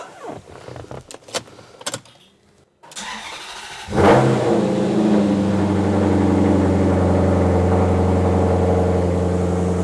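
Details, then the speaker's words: Vandalized Maserati GranTurismo, key start in garage after repairs: brief crank, engine catches with a quick flare and settles into smooth even idle; healthy start, battery had not drained. "Ja vielä lähtee kyllä avaimestakin käyntiin. Hyvä se."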